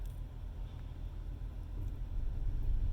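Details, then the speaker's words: Semi truck APU started with main engine off: low even cranking about three turns a second that never fires; cranks but won't start, fuel pump or other cause suspected, unconfirmed. "so i just hold down the start button yeah it's just it's turning over but"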